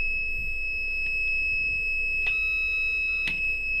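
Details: DT830D multimeter with continuity buzzer stuck on, traced to burnt SMD resistor: steady high-pitched beep runs without break for the whole clip.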